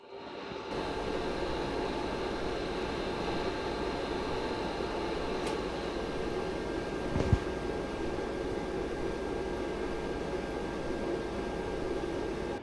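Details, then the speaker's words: ARAID 3500 backup drive enclosure with server shut down: constant airy whir and steady hum from the stock fan, still loud on its own before a fan replacement; noisy cooling fan. "so with the server off there is a notable difference but there's still a lot of noise coming off just the backup unit"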